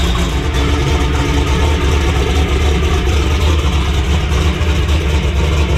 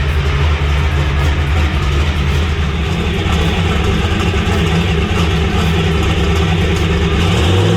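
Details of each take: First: Methanol-fuelled turbo race Camaro in cold weather: heavy steady roar held on the rev limiter at about 4,500 rpm with hard crackling exhaust pops as the limiter pulls timing, boost not yet at target. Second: Bad Influence Camaro, still warm, held on a 4,500 rpm rev limiter with timing pulled while building boost: steady high rev with hard, rapid rough exhaust popping because boost had not yet reached target, then the note shifts as boost builds.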